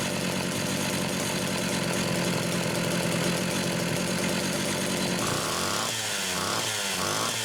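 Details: Homelite Super XL two-stroke chainsaw, second carburetor, test run: steady clean idle, then pitch surges and drops repeatedly under throttle; runs and revs cleanly, normal.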